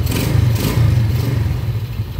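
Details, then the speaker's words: Yamaha Jupiter Z single-cylinder after replacing crankshaft, connecting rod and bearing to cure a rough engine; low steady idle, even beat, no knocks or rattles, smooth like factory; normal idle. "suara mesinnya sangat halus apa sangat halus kembali seperti bawaan pabriknya"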